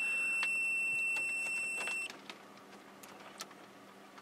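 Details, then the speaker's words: Old linear 12 V wall-wart power supply loaded with a 10 ohm adjustable power resistor while checking ripple: thin, steady high-pitched squeal at the upper limit of hearing over faint clicks, the supply squealing under load. "we read it through here and you can hear this thing squealing it's just beyond my ear range"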